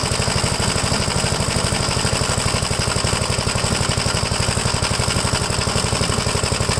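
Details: 1957 Gravely L tractor single-cylinder engine after replacing a badly clogged fuel filter, choke off, carburetor leaned slightly after it was too rich on throttle: even, rapid thumping at steady speed with no misses. Runs smoothly.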